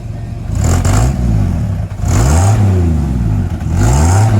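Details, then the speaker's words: 1954 Ford F100, factory 223ci six, stock exhaust setup with a Smitty's glass pack, revved while parked: deep throaty rumble swelling with each blip and dropping back cleanly; healthy exhaust note. "again that's that's just the stock setup with the uh Smitty's glass pack in it"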